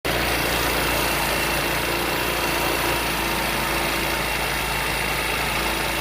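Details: Chinese 157 engine running steady with a constant droning hum under the engine note that doesn't change; humming variator, cause unclear.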